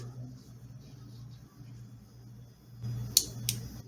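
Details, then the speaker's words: Single-pin Toyota/Lexus transmission shift solenoid bench-tested with power applied: quiet hum, then two crisp clicks about a third of a second apart as it actuates; passes the test, normal. "hopefully you guys heard the click is actuating so this one has passed this test"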